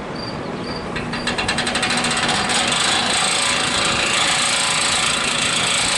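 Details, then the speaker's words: Vintage hassock fan with new motor, first run after assembly: fast, light metallic rattle about four times a second over the whir as the motor shaft rubs the top support bracket. "runs rattles issues that top bracket i gotta bend it so the shaft will stop rubbing on it"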